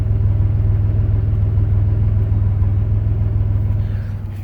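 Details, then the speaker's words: 2001 Pontiac Grand Am with suspected head gasket leak (cylinder 3 misfire, coolant smell, white smoke), after IronTite treatment, running 15 minutes, not yet at operating temperature: deep steady idle with faint uneven pulse, less sputtering and less smoke; slightly rough idle. "It doesn't sound like it's sputtering as much. And there's less smoke."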